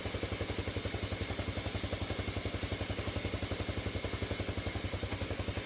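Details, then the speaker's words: 2007 Honda CT110 single-cylinder after new cam chain and tensioner install: steady idle, cam chain noise gone, even light valve ticking showing clearance is loose enough; normal. "And valves are definitely loose enough cuz you can hear them. Sounds really good."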